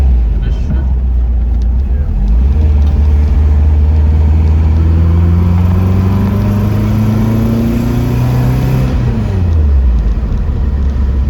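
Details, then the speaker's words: Porsche 914, newly built 2056 cc engine, dual throttle body MegaSquirt EFI, performance cam, enlarged valves, Tangerine Racing exhaust, 123Ignition, road test in basic tune: throaty note climbing through revs, dropping on the shift; strong, normal running. "the sound of the this setup is very good nice and throaty the car accelerates good with lots of torque up to high rpm"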